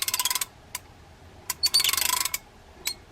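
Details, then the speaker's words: Dirty Mitchell 396 (or 39x) fishing reel hand-cranked: fast ratcheting clicks with sharp ticks where the handle hits the bail at certain angles; the bail is bent out of shape, visible in its alignment. "there it is it hits the bail at certain angles yeah the bail is a little bit bent out of shape you can see from this in the alignment"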